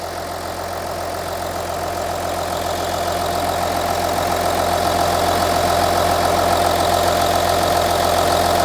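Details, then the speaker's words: Audi Q7 3.0L diesel after replacing cylinder 4 fuel injector (previous DTC P0272 cylinder 4 misfire, P0087 low rail pressure, shaking): even idle, steady low tone, regular soft clatter, no stumbles; misfire fixed, no codes. "so as you can hear the engine is running this engine sounds great can you tell the difference now no more Mis fires engine sounds good"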